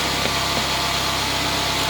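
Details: Mercedes-Benz CLA 180 donor car, about 93k mileage, whose engine is to be swapped into another CLA 180 with a blown engine, checked before removal. A steady, even idle hum with no knocks, ticks or misses. Normal idle.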